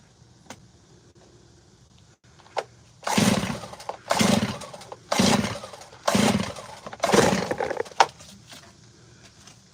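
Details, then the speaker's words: Gas chainsaw, described as out of maintenance, that ran earlier. Five pull-cord rasps about a second apart; it coughs but never catches. Spark plug is fine; owner suspects it is flooded. Hard starting. "That mug don't want to do nothing for me. I might have flooded it. I might have flooded it."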